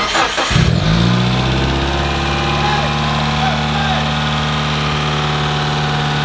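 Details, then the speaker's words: Mitsubishi Evo 8 first start in 5 years, fresh engine: the starter whirs, then it settles into a slightly lumpy idle with faint light ticking, likely lifters. Oil pressure read 100 psi and it leaks oil. Ticking at cold start. "why does it sound so weird it's got lifters and [ __ ] that sounds"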